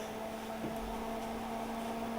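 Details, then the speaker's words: Tektronix TDS360 oscilloscope powered up by grounding pin 12 of the CPU board connector, bypassing a faulty on/off button: quiet, steady low hum with a soft whir and no rattles; cooling fan running normally. "The fan's running, LEDs are on, and hopefully in a second or two we should see the CRT."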